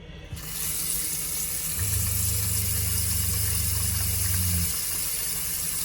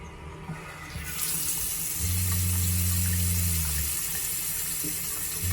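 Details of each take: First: Shurflo RV water pump running on its own while a faucet runs below full flow: pump hums steadily about three seconds then cuts off, a short even on-cycle of normal pump cycling. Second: Shurflo RV water pump running directly off batteries at reduced voltage: low hum cutting in and out every couple of seconds over running water, flow changing; pump short cycling, fix is adding an accumulator tank.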